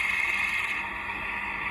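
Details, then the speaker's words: Industrial sewing machine not catching thread, very loud: steady shrill metallic whir with a harsh rasp while running. Rotary hook timing set wrong; fix is resetting the rotary hook. "คือสรุปแล้วก็คือตั้งโลตีผิดนะครับ"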